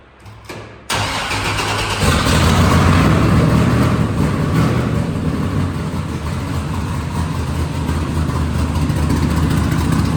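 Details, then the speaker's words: Vehicle "Capone" first start after exhaust extension (old headers, bullet mufflers, 3.5" stainless pipe): crank, then deep lumpy rumble with steady rev blips; much better than before, healthy cold start and revving. "Yeah, it's way better. That's amazing how much better it is."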